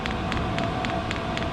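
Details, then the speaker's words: New diesel heater for a roof top tent, first start after priming: crisp, even fuel-pump ticks roughly four a second over a steady fan hum, the pump going faster as it lights with a little smoke. Normal start-up. "fuel pump's definitely going a lot faster. Get a little bit more smoke out."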